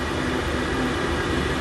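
Steady roaring rush with a low rumble underneath, even and unbroken, the burner firing cleanly on high flame.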